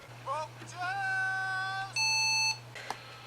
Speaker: Bad RTC battery, bad CMOS checksum, blah blah blah, whatever.